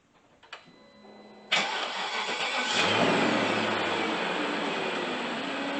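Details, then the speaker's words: 1999 BMW 540i E39, used M62TU V8, first start after timing chain guide and tensioner replacement, no fan or shroud yet, oil with ATF/Marvel Mystery Oil: short crank, clean catch, smooth even idle. "So far, so good. She's sounding good."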